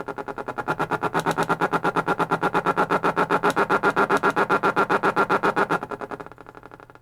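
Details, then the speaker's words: 1940s Stewart Warner tube radio before repair: loud pulsing howl about four beats a second with steady high tone, dying as power drops; oscillation attributed to failed leaky capacitors. "flip this in through and it's oscillating if you can hear that in the speaker"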